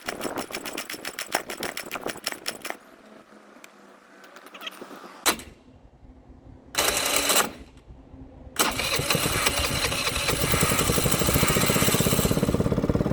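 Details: Baotian BT49QT 50cc Chinese scooter, first start attempt with no exhaust and a loose electronic choke plate screw. Sputtering bursts and dead stretches, then a rough, raspy run that won't settle: an engine starved by clogged carburetor jets.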